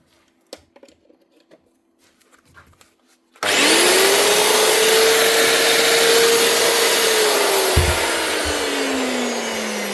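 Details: Bosch GWS 22-230 H angle grinder after its broken field was replaced with a secondhand field and the lead was clamped: clean start, smooth steady spin-up and even hold, then a wind-down with no rattle or grinding; it runs normally.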